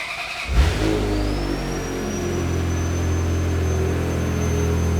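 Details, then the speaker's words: Ferrari F355 cold start: quick crank, catches, then steady idle at a good rpm without surging, in cold start mode with the air pump audibly whining; normal cold start idle. "oh yeah the idle is way better yeah that's proper it's not like it's not surging it's actually at a good rpm yeah obviously the numbers are gonna be off right now because we're in cold start mode you can hear the air pump running"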